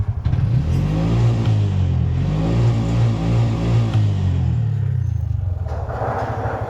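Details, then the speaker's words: 2023 Bajaj BS6 auto after repair, scanner showing no faults: steady low throb that swells and eases with the throttle, with no misses or rattles. Normal running. The problem was solved by fitting an old spare coupler and cleaning the body. "ಮಾಡಿದ್ರೆ ಏನೇನಿಲ್ಲ, scam ಮಾಡಿದ್ರೆ ಏನೂ ಇಲ್ಲ. ಪ್ಲಾಬ್ರಮ್ solve."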